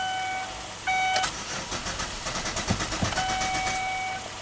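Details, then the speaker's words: 2008 Chevy Equinox, intermittent no-crank/ECM communication loss: about three seconds of even starter cranking between warning chimes, never catches; fuel pump commanded on but not heard, no fuel pressure, fuel pump fuse missing. "Output control, fuel pump. On. I don't hear the fuel pump running. Yeah, we got no fuel pressure here."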